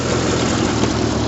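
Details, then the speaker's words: 1974 MG Midget on twin separate carburetors after idle mixture adjustment: uneven lumpy loping idle with spitting, fuel spitting out of the float vent tube; rough idle. "not sure if you could hear me but it's running but it's running very rough um it's actually spitting out of the the vent tube on the float"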